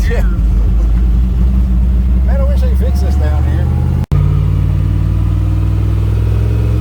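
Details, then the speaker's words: Skull Garage black truck, fresh engine build after a blown head gasket, boost reaching 10 lb, AFRs leaner with timing change: deep strong drone climbing smoothly, brief break for a shift, pulls again evenly; pulls hard, normal running under acceleration. "that went to 10 pounds that time you can feel the difference God that thing pulls hard"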